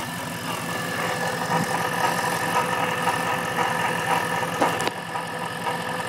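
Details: Novi 2200: a quick ticking rattle about twice a second over the idle, then a clatter as the engine shuts off; cause not yet known.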